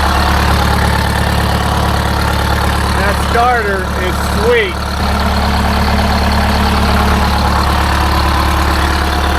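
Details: Detroit Diesel 8V-71 two-stroke idling after a new starter (part 6924N) was installed: deep, steady drone, even and unbroken with no knocks or misses; healthy idle.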